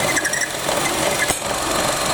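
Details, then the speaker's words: Chevy Cruze with check engine light and multiple codes, rough idle: faint high on-and-off squeaks over hissy idle when dipstick pulled out; excess unmetered air suspected, crankcase ventilation problem, ventilation part to be replaced. "now if you listen here when I pull this out you hear that squeaking when I pull the dipstick out"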